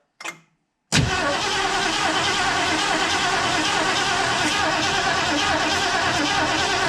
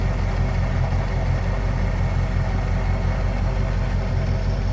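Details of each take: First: 1968 Ford Mustang 289 V8 after sitting 30 years, cold weather; starter spins engine briskly, slightly unevenly, for six seconds with no firing, crank no-start from no spark; points and cap cleaned; plugs possibly wet. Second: 1968 Ford Mustang convertible 289 V8, first run after sitting 30 years, cold Canadian weather and not yet warmed up; oil pressure good; deep, steady, even cold idle rumble with no misses, knocks or ticks, running smooth.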